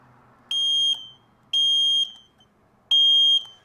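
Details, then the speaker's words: Vintage two-stroke motorcycle, either a 1973 Yamaha RD250 or a 1974 Kawasaki F7-175, jump-started: three shrill half-second beeps about a second apart. It is the warning buzzer because the oil valve is switched off; turning the oil on stops it. "I found it switch on it's this valve all valve off for turn your oil on make the noise go away"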